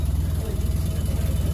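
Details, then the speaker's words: Mazda RX-7 FD rotary on stock ECU with a deep, throbbing, slightly lumpy rich idle smoothing out; AFR rising from about 10 to 11–12, about 80° and roughly 12 inches of vacuum, running water instead of coolant, belt not fully tensioned. "idle is starting to get a lot smoother it started at about 10 AFR now it's dipping down to 11 and 12 getting a little bit more healthy sounding a lot better"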